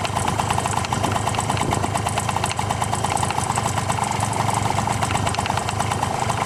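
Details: Honda Tact AF24 moped running cold at idle: busy rattle with uneven tapping knock about three per second; knock began along with heavy smoke, owner doesn't blame a clogged muffler; cause unclear.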